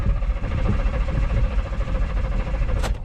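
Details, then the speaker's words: Offroad race truck at dirt track: starter churns with even low chugging but engine never fires; fuel pump code and fuel pump circuit open reported, fuel pump possibly broken; cranking no-start. "sounds fine on the starter and it wanted to start. >> Are you sure you got fuel? >> I think it kind of sounds like it's got fuel."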